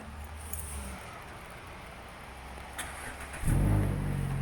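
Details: 2018 Mazda 3 starting by newly installed iDatastart remote starter, after relay clicks confirm programming: three seconds quiet, then quick crank and clean catch into steady idle; normal start.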